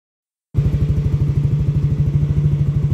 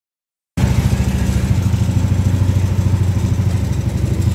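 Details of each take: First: Yamaha Aerox scooter test ride after removing an added out-of-spec ring that caused a rubbing noise: steady, even low engine pulse at about three per second, no scraping or rubbing; drive runs clean. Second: Yamaha Aerox scooter at idle: rough rhythmic scraping chatter over engine, worse at idle than high revs; pulley rubbing CVT cover from misfitted aftermarket ring added beyond spec.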